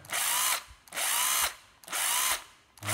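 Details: Makita 12V drill-driver, bare tool: three strong, clean spin-ups about a second apart, quick rise to full speed and smooth coast-down, no grinding or stutter; healthy.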